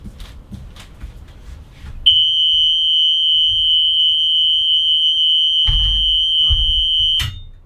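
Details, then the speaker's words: Bus RV conversion with the rear emergency exit door looking closed but not sealed shut: steady piercing high-pitched tone holding unbroken for about five seconds; emergency exit door ajar alarm. "sometime they might seem to be close but they are not and that the noise that you hear"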